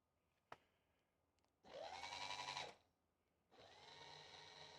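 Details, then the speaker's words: Rieco-Titan truck camper jack head with the suspected-bad motor swapped for a spare, run without the leg attached: two short bursts of smooth, even, high-pitched whir with steady pitch, no grinding, nice and quiet, sounding just like the good jack; normal jack motor run after repair. "nice and quiet sounds just like this one"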